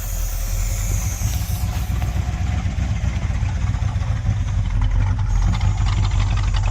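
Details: 1972 Chevy C10 crate 350 V8 that had sat for 8+ years, first run with a new coil. Deep idle with a gentle lumpy lope, quiet lifters, no knocking and no smoke; a healthy normal idle with a mild cam.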